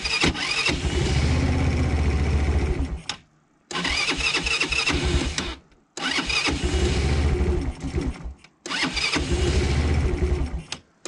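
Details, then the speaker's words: Quad with an unrebuilt engine that smokes heavily; the automatic choke barely works. Four cranking bursts of about three seconds each, chugging but never catching; hard starting needing repeated cranking. "alors je sais que le démarrage est laborieux un petit peu qu'il faut faire plusieurs fois sort afin qu'ils viennent tenir le romantique parce que le starter automatique en fait ils marchent pas des masses"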